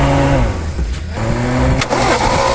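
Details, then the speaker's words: Toyota big body engine that sat unused three to four weeks, run after condenser replacement restored ignition spark: runs rough and uneven, misfiring, number one spark plug dead with no spark; plug to be replaced. "na ayan mga yung isa na yan patay yan yung number one na yan hindi kumikislap"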